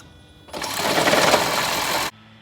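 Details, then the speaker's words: 2004-2009 second-gen Toyota Prius cold start after sitting overnight: burst of harsh mechanical rattling and banging for about a second and a half, the "morning death rattle", transmission damper knock caused by a misfire. "if the car sits overnight or for a long period of time you start it up and you hear like a like crazy shaking and banging sound for a couple seconds to maybe half a minute or so this video is for you so this is what it sounds like in real life when you start it"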